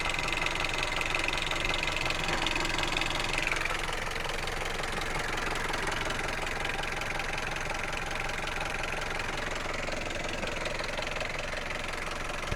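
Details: Hyundai Solaris 1.6 after the engine overheated: steady idle with a hard, even knock about three per second; engine knock after overheating.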